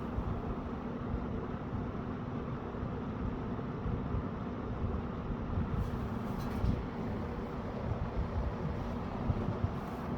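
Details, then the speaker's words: Eskimo box fan model 201083 after cleaning and reassembly, running on low: steady low hum with gentle airy rush building, quiet, slight harmonic whine, no rubbing or ticking; fan motor spinning up cleanly. "but started on low. Really nice and quiet. Hear that harmonic whine."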